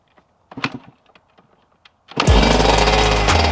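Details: Yamaha YZ125 two-stroke first start after the project build, with water pump seals worked on to hopefully fix a coolant leak and fresh oil and coolant: after quiet handling it fires and settles into a crisp, even ring-ding run; healthy.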